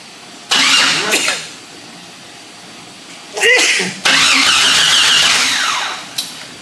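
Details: Jeep XJ cranking in bursts with a whirring churn, never catching; no fuel pump heard, fuel gauge and tach dropped, smells rich; owner suspects crank sensor, not confirmed; cranks but won't start.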